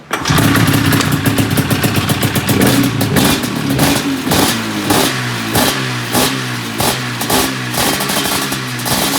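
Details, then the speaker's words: 1997 XC 700 twin two-stroke with early twin pipes, SLP jetting, back on the original CDI; barely idles with uneven lumpy pops about twice a second, water flooding out of one cylinder, which seems to misfire; owner suspects a stuck choke. "Oh, the thing will barely idle. Just water flooding out on one cylinder like stroke stuff."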